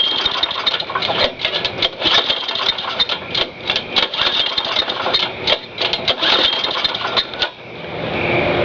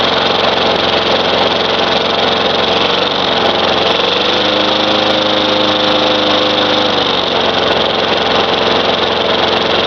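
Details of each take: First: Lawn mower small engine after reassembly, run at half throttle: uneven sputtering bursts that never settle, stumbling and missing; spark plug found fouled. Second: Craftsman 4.5 hp Tecumseh mower that had diesel in the cylinder, running after the fouled spark plug was cleaned: a steady, even single-cylinder buzz with a slight dip and recovery, no knocks or misses, while smoking blue. It runs.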